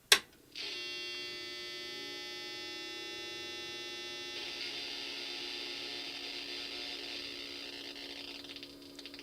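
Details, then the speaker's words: IBM PC 5150 motherboard with original ROM (owner suspected RAM): steady high-pitched beep at power-on holding several seconds then fading into a weaker buzz; continuous POST error beep, cause unknown. "all right so you could hear that it kind of uh it makes a beep for a while and then it kind of goes away"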